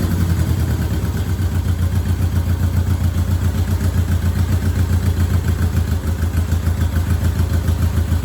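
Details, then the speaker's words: 1972 Honda CL350 twin just started cold with a little choke, before warm-up and carb adjustment: steady, even pulse around 1100 rpm on the tach, no knocks or misses; exhaust pressure feels even from both pipes. Finding: normal idle. "I mean, let's take a look at our tach here. It's rolling right around, I would say that's about 1100. And it sounds really good."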